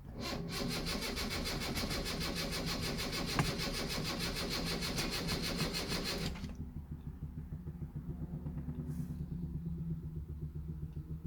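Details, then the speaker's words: 1974 Honda Civic Mk1 after sitting a long time, choke on, suspected faulty fuel pump; cranks steadily about six seconds without firing, then faint regular ticking; crank no start, no fuel pressure. "no it does not want to start because there's no pump i can hear it there's no pump there"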